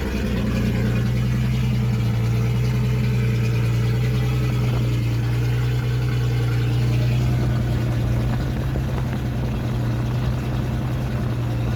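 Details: 1976 Datsun 280Z six, first start after sitting four or five years, open headers: deep steady even exhaust drone with small rev swells, no knocks or misses; runs cleanly; won't restart hot, owner suspects distributor.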